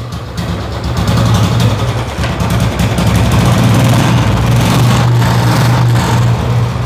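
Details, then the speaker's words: Motorcycle at idle after the water-contaminated petrol was drained and the fuel pipe refitted: steady, even low thrum with no misses, stumbles or hunting; smooth again after cleaning. "और गाड़ी हमारी दोबारा से smooth हो चुकी है"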